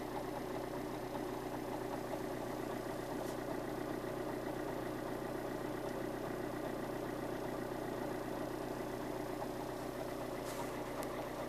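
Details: Alfa Romeo 159 JTDM Lusso diesel idling: fast, loose rattle/chatter over the clatter with the clutch pedal released, going away when the clutch is pressed at about 41 seconds; cause unknown.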